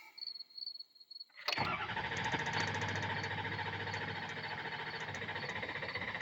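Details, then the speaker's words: Diesel with new stand pipes, dummy plugs, IPR valve and updated STC fitting. The starter cranks, the engine catches with a rough clatter, then the beat weakens and it falls on its face; owner suspects a high-pressure oil leak at the injector upper O-rings. "It's like it's it's like right there where it tries to start and then it just completely falls on its face."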